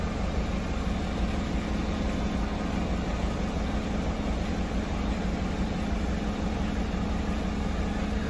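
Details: 2018 Chevrolet Silverado 5.3 L V8 started the morning after a water pump replacement, left overnight for the gasket sealer to set, while checking for leaks: steady, even low rumble with smooth idle, no knocks, ticks or misses; normal idle.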